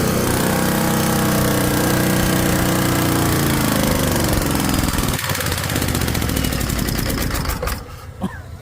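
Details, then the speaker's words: Ford 6.9 IDI turbo diesel run at full rack on used engine oil or improvised fuel. A deep, harsh pounding knock about four times a second hammers under revs, then eases as it winds down: severe diesel fuel knock. "It sure don't sound good no No, more, though."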